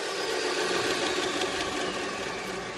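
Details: Jet 2x42 belt sander, after replacing a warped drive disk, spins with a steady, even whir and no wobble, thump or rubbing; normal running.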